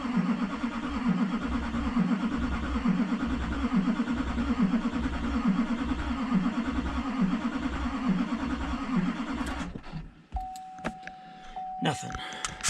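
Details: 2004 Duramax LLY diesel with fuel hoses replaced and head rebuilt: steady starter cranking with even compression pulses for about ten seconds, never fires; rail pressure only 200 versus 6,000 desired, air possibly still in system; CP3 pump suspected.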